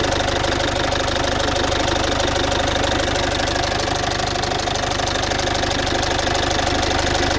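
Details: Citroën C5 2.0 HDi 100 kW diesel, loud even idle with a sharp steady tick about three per second; owner suspects injector area, unconfirmed; injectors repaired, new piston rings, valves repaired and valve seals replaced 15,000 km earlier.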